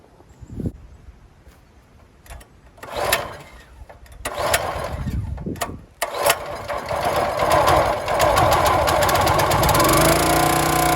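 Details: County Line 25-ton log splitter, small single-cylinder engine, fuel tank drained and refilled, carburetor cleaned and primed: a few pulls and sputters, then it catches and settles into a steady, even run with no knock.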